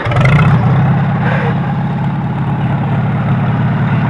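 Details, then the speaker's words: Farmall H tractor with loader and wide front end, idling after refueling (it had simply run out of gas): steady, even low rumble with slightly loud mechanical clatter; a little noisy but runs real well, good motor. "little noisy, but it runs real well. Good motor."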